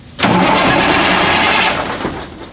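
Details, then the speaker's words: 1984 Peterbilt 362 cabover after starter replacement, cold shop: new starter engages at once and cranks strongly about two seconds then spins down, no clicking or grinding, engine not started; normal cranking. "the button to make sure it will crank i did not expect it to start"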